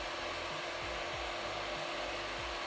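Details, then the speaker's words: Creality Ender 3 V2 3D printer running: steady loud fan hiss with faint hum and soft low motor sweeps; noisy despite silent drivers. Normal running noise with loud fans. "in general this printer is a pretty noisy one so if you're in the same room when this printer is running this is going to be a disturbing noise"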